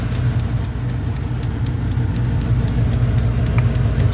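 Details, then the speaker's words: Carrier gas furnace after inducer fan replacement, test run: steady low motor hum with a faint, even light ticking as the draft inducer spins up and creates vacuum before ignition; operating normally. "first thing it's supposed to happen is this induction motors gonna come under grace and negative pressure inside the plenum which is going to create a vacuum"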